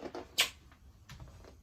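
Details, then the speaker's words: WEM accordion amp (Songbird 200/Phantom), the owner's own unit: a single short high chirp right after switch-off, then only hiss. Some of these amps chirp when turned off; the owner thinks it is harmless. "did you hear that little chirp I've heard this some of these amps chirp when you turn them off"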